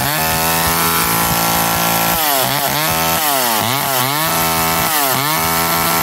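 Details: McCulloch Eager Beaver 2.0 chainsaw after rebuild, spark arrestor back on, probably warm, run to burn off old gas: crisp two-stroke buzz revs up and down cleanly with the throttle and returns to steady idle; healthy.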